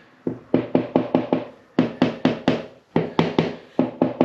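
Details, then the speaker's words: Bathroom wall tiles in an Airbnb with a ceiling water leak, bath area bone dry: knuckle taps in rapid groups of four to six with a hollow ring; tiles sound loose, suspected water getting down behind them, not confirmed. "sounds like sounds like they're loose or rattling around a little bit"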